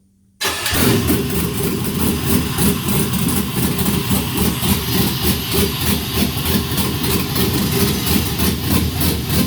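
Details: Brief crank then quick catch into a steady even idle with a smooth lumpy beat from an LS V8 on an engine stand, cam-modified, fuel pressure checked correct; normal start and idle.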